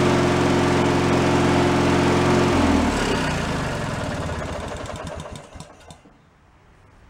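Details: Free derelict Craftsman riding mower single-cylinder engine, started by key on fresh fuel after repairs, warming up before an oil change: steady, even idle putt, then shut off and coasting down; normal idle.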